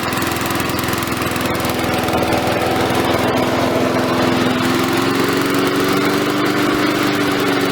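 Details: Victa mower small single-cylinder engine after cleanup, steady buzzing run with slight pitch drift as it settles, no stalling or surging; smoking from muffler expected to clear; running normally.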